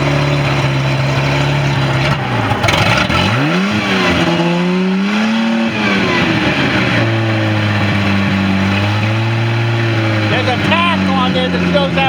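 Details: Tahoe boat engine winterized and fogged in 2018, first start in 2025 after battery tightened: starts right up, steady even idle, clean pickup on blips and a smooth return; smoke is burning fogging oil; healthy.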